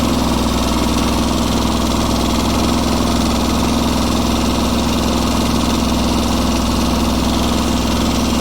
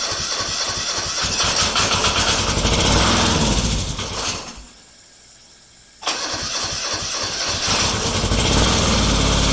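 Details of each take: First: Kubota G4200 garden tractor, first run after full restoration with the fuel system redone: a steady, even low thrum at about three and a half beats a second with no knocks or stumbles, a healthy idle. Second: Restored Kubota G4200 garden tractor on its first start attempt after final assembly, with the fuel system redone and bled. Repeated cranking bursts with pauses, but it never catches or idles: crank, no start, cause unconfirmed.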